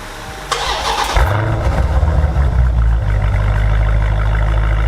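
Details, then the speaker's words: 2019 Dodge Challenger V8 on stock exhaust before Corsa axle-back install: starter catches cleanly, then deep steady exhaust rumble swelling with a couple of revs; even, healthy engine start and rev. "So real quick, guys, we're going to go ahead and fire this thing up so that way you can hear a couple of revs with the stock system, and then we'll get it ripped off and get this Corsa installed."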